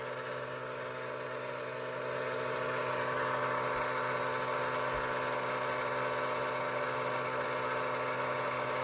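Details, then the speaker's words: Cheap "ultrasonic" cleaner washing smudged glasses in water with dish soap on a 10-minute cycle: a steady low buzz of about 125–150 Hz with a faint higher hum, from a small vibration motor, not a true ultrasonic transducer. "That is about 125 to 150 hertz, not kilohz, hertz. So obviously this is not ultrasonic."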